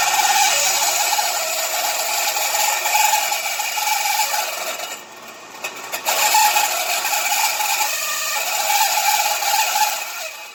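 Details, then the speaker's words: Vintage window fan with a dry motor shaft bearing on the centre rod: a continuous ratcheting rattle with a thin squeak over the fan whir, before oiling; a few drops of oil on the rod made it quiet. "sounds like that one's gotta be oiled just outsides okay but this one having a lot of problems that noise I'm hearing there the rod in the middle trying to oil that up"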